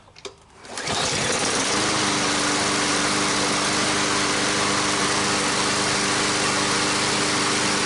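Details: Cold start of a brand-new MTD mower's Briggs & Stratton engine after freeing a stiff valve stem (assembly lube): fires on one pull, then holds a steady, even high-pitched drone with no misses, knocks or surging.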